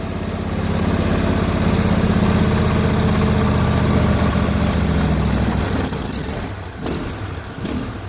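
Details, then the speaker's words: John Deere LA150 twin-cylinder lawn tractor nearing 300 hours, just started cold with new fuel filter, plugs and oil: steady idle with a faint uneven beat; owner blames cold and typical twin-cylinder slight miss. Rough cold idle with slight misfire. "sounds like it's not running quite right but it I mean it is a little cold even these twin cylinder Motors seem to have a little bit of a mistone"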